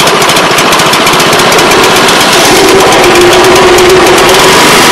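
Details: Older Honda Harmony 215 SX mower after carb cleaning, having sat outdoors for years: loud steady single-cylinder putter with an even beat holding speed without stumbling; running properly.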